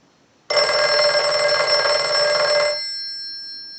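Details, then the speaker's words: Northern Electric 302 rotary desk telephone after rewiring and repair, ring cycle sent from analyzer: one clean two-second ring, bright steady clang from both gongs with clear decay; bell works properly. "so we'll start a ring cycle we're going to let that go a few times"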